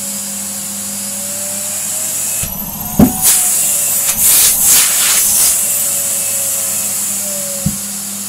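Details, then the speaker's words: Numatic Henry HVR160 vacuum fitted with a long oversized hose: high steady motor whine broken by sharp bangs with pitch dips as the hose sucks itself flat under the strong suction. "probably it's doing is that massive bang you hear it's actually this is sucking itself in with the sheer air pressure of this so we've got to be a little bit careful there"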